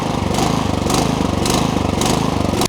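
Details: Troy-Bilt Vortex 2890 snowblower, sat with fuel without Stabil: petrol engine hunting at idle, swelling and dipping about twice a second; caused by a clogged low-idle jet in the carburetor.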